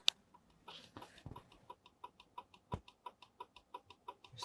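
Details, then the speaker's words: Volvo C70, ignition on, seatbelt unbuckled: quiet, even ticking about six clicks per second from the seatbelt warning indicator relay (no. 12); clicking stops once the belt is buckled. Seatbelt warning relay clicking. "Так що йдемо знов до автомобіля і дивимось чи пропаде в нас клацання при Ну як то кажуть вставленні цього ременя в посадочне місце"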